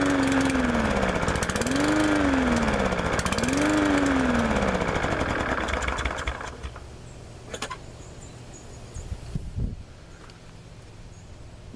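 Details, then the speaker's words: MTD walk-behind lawnmower, cold start after sitting about a year with carburetor not drained, carburetor overflowing: engine speed rises and falls every couple of seconds, then dies; surging from carburetor fault. "it fire it up but as you can probably tell it's got some carburetor issues might have to look into it just a little bit here"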